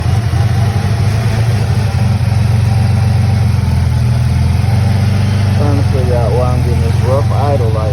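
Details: Dodge Charger with a rough idle, smoke from the tailpipe and exhaust in the engine: deep, uneven lumpy idle with a slight stumble and steady exhaust drone. Rough running, cause not pinned down.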